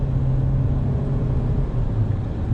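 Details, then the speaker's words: 2021 Nissan Rogue after repair of contaminated fuel (likely ethanol or brake cleaner in the tank), on a warm day: steady low engine drone under acceleration, no spark knock or pinging now; clean running. "Oh yeah, that's much better. I don't hear that spark knocking now."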